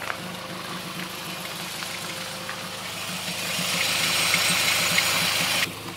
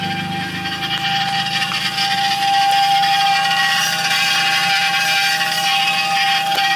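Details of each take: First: Car (TC) in drive after new drilled/slotted rotors and Hawk pads: wheel turning with light steady hiss and engine ticking, no scrape; brake running clean, noise gone. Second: Car (TC) after new drilled and slotted rotors and Hawk performance pads, front jacked up, in drive, foot on brake: harsh metallic scrape about twice a second over a steady ring; dust shield's lower lip rubbing the rotor, fixed by bending it back.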